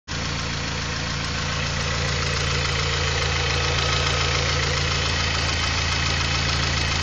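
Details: A Honda Prelude H23A1 engine idles steadily with a fairly even knock, about four a second, riding on the engine note. The knock is suspected but not confirmed to be a wrist pin (piston pin) knock.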